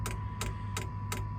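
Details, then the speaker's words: Sunster Chinese diesel heater in a motorhome, fuel pump mounted outside the cab with over 20 ft of fuel line, priming after start: sharp evenly spaced ticks about three per second over a quiet fan hum, normal pump ticking. "and then with a few minutes a minute or so you'll hear the ticking of the fuel pump kicking in"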